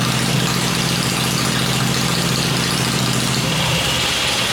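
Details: Freshly rebuilt 96-inch engine with Edelbrock heads, on an engine stand before going into the bike, idles fast with a loud, steady, even rumbling lope and no knocks or rattles. Normal idle.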